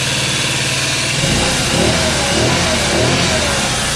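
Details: Scooter sitting for years, just started: small engine revving with fast uneven ticking chatter on top; noisy chattery valves, burning oil, smoking, owner suspects ruined valve seats. Valve chatter.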